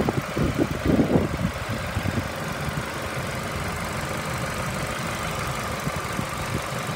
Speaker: this one has a 2.3 liter four-cylinder motor sounds good it's been running for about an hour it idle smooth reds up nice